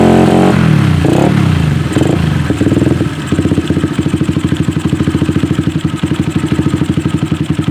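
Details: Suzuki Satria FU, previously dead with hard cold starting, spark plug refitted after plug and compression checks: engine catches, stumbles briefly, then settles into a steady thumping idle at about four beats a second; it runs again.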